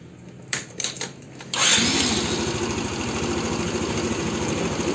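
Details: Arora Proxy R50 scooter after the idle adjustment, cleaning and seat refit: a few clicks, then it fires quickly and settles into an even, steady idle without hunting or stalling; healthy running.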